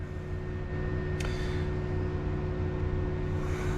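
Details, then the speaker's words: BMW N54 single-turbo with misfires and BSD faults: steady, low roar of the electric cooling fan maxed out over the engine idle although the engine isn't that hot; owner wonders if it relates to the BSD fault, not confirmed. "you can hear the thermo fan is maxed out but the engine's not that hot"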